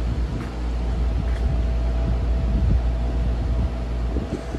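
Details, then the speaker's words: Vintage RAKS DF-12TK desk fan (Turkey, 110/220 V) on speed one after lubrication and cleaning, previously seized: steady, even low hum with soft airy rush, no rattles or scraping; runs smoothly. "it's a pretty good fan. It's pretty powerful."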